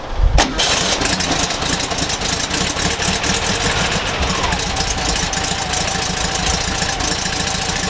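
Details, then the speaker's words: VW Kombi engine idling after fitting the rebuilt carburettor and tuning it: fires quickly on the first crank and settles into an even, steady idle with no misses; runs much better than before tuning. "i'll start it up and it runs so much better"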